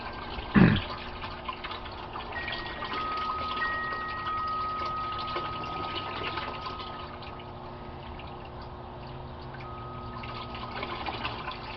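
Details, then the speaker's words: Aquaponics gravel grow bed (about 25 gallons) near the end of its drain: a quiet, thin trickle of water with faint drips, no gurgle yet. The siphon is draining normally; a gurgle then stops it. "You'll see the water coming out of the pipe will slow down to a trickle, and then you'll hear a gurgling sound and it'll stop. And then the cycle will start over again."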